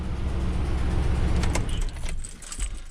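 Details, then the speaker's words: Truck just started after repairing a rodent-chewed ground wire jumped to battery negative: uneven, lumpy idle with stumbles; rough running, owner suspects old gas (last inspected June 2022), ignition unchecked and at least one injector unplugged. "and I'd be willing to bet that's because it's got uh one crappy old gas in it because this thing was last inspected in June of 2022"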